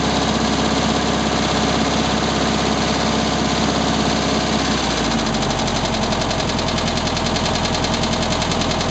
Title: 1967 VW Beetle engine knocking noise